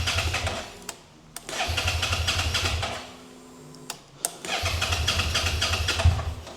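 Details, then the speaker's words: 2011 Suzuki SFV650 Gladius with a sensor unplugged (it had thrown a code and made a whining noise): fires briefly in bursts and dies, starts only with throttle, won't idle. Cause not confirmed. "with throttle, it starts. Without throttle, doesn't start."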